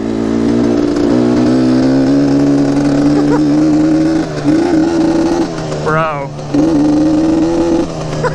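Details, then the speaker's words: Yamaha Banshee two-stroke quad with aftermarket carbs, dirty carbs, warming up: at full throttle the pitch barely climbs, flat and strained, badly down on power; owner suspects plugged main jets and poor carburetors. "oh man that's full throttle dude oh this is this is pretty bad joke is off oh dude you wouldn't be winning any races with this thing that's for sure"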